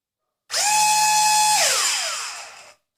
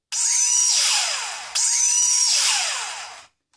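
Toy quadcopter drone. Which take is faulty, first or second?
second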